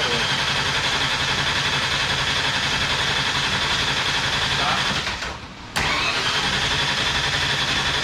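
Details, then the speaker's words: Mustang engine not run in a while, cranked deliberately twice without ignition to get oil to the top end and fuel up; even, steady starter churn with a short pause, no firing, normal oil-priming crank. "So what I like to crank it like twice. Let the oil get up there, let it kind of seep down, and then we're going to wait about 5 minutes, and then we're going to crank it 2 more times,"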